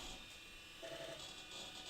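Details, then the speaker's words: Compaq Presario 4540 at first power-on, Quantum Fireball 5.25-inch hard drive: even high-pitched whine over a soft steady buzz with no clicks or scraping as the drive spins up and the disk drive initializes; normal spin-up, then boots to Windows 98. "We can hear the disk drive initializing, the hard drive spinning,"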